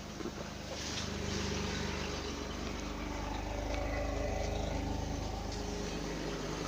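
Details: BMW M30B35 engine, warm idle: steady hum with a faint, fairly regular tap about three to four times a second; unexplained knock, barely audible when cold.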